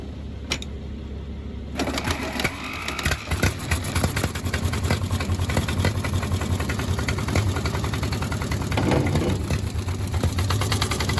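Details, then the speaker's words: 1951 Caterpillar D8 2U dozer, sitting since 1990, big diesel was stuck until freed with penetrant, WD-40 and ATF. First attempt to start it: the pony motor chatters while the big diesel turns over with uneven low thumps but never catches. "all right so here's the first time we're actually trying to start the big motor and we didn't have much luck at it"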